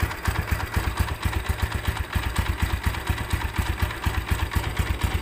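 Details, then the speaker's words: Tiger Evo motorcycle at idle around 1000 rpm, very harsh running that gets louder with the clutch pulled: a rough, lumpy idle with a loose metallic clatter on each beat; clutch housing rattle. "suaranya kemberungsung sekali teman-teman kita coba kopling kalau di kopling malah makin kencang suara ngaklaknya"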